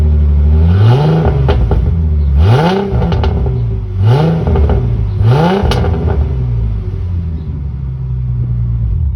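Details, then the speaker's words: 2007 Ford Mustang V6 with new throttle body spacer, no check engine light; quick blips to high revs with sharp pops on overrun, now backfiring around 2,000 rpm instead of 3,000-4,000, louder, with sharper throttle response. Exhaust popping on revs. "I did notice when I was revving there's way more throttle response, because before I would have to like get it up to like, I don't know, like 3,000-4,000 RPMs before it would backfire."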